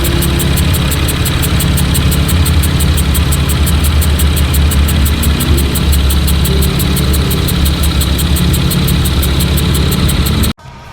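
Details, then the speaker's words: Car idling after an autocross track day brought on a new noise: a fast, light metallic ticking with a faint airy hiss, like air sucking in and pushing out. Neither the owner nor the shop could find the cause. Metallic sucking noise at idle. "as you can hear it's super weird and i tried to figure out what it was i i honestly couldn't put my finger on what was making that noise um you know it it's it sounds almost metallic but it sounds like air sucking in air pushing out"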